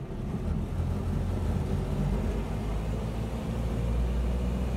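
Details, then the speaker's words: 1976 Land Rover Series 3 109 with a 2.25 petrol engine, driving after a new exhaust was fitted. Steady low engine purr with road rumble, no exhaust blowing or rasp; much quieter than before, though still noisy with no soundproofing. "Definitely a lot quieter. I don't know if it picks it up on the video. Definitely an improvement, even though it is still noisy. Not quiet as the vehicles, no soundproofing on anything. But I can hear more of an engine purr rather than an exhaust roar."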